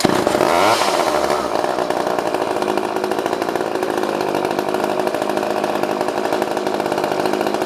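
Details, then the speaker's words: Old pre-1990s two-stroke chainsaw fires after fuel finally reaches the line and screams up to a steady high buzz, holding evenly without stumbling; it runs properly. "Let's see if it'll start back up. Wow. Everyone's good. runs a runner. That didn't need to warm up or anything. That one just kind of started right up."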